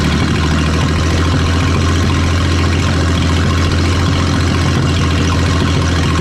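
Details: 1938 Dodge (D8) flathead six, after sitting 40 years, started on 6 volts with the generator wire hooked up: low, steady, even idle with no knocks or misses. Normal idle.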